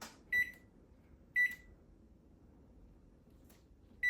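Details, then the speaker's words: Samsung OTC microwave whose buttons had stopped working, tested after fitting a new button panel with control board, while setting the clock: short, clean single beeps about once a second show the keypad now responds normally. "As you know, the buttons are working, so I know this unit's gonna work."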